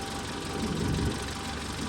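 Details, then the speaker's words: Land Rover Series four-cylinder with Weber carburetor idling while the mixture screw is set for maximum manifold vacuum (about 16): steady, even idle lifting slightly midway, no misses; normal idle. "See, you can hear the RPM climb up a little bit. 16. That's 16 is about right."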